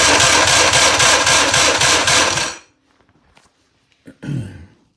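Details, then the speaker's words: 1958/59 Johnson 50 hp "Fat 50" outboard, cranked on a jump pack alone after cleaning the starter during a cylinder 3 compression test: strong, even cranking at about four compression pulses a second for 2.5 seconds; reading rose from 85 to 105 psi. "this is just going to be with the j the jump pack not the battery so i'm just using this alone with the clean starter hopefully it'll uh give me a better result"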